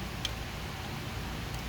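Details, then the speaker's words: Pentastar 3.6L V6 with lower intake removed, engine off: two faint sharp metal clicks as a loose, coming-apart rocker arm is moved by hand, the source of the engine's ticking. "That my friend, that rocker shouldn't even be moving. You hear that? So that is the ticking noise that you hear."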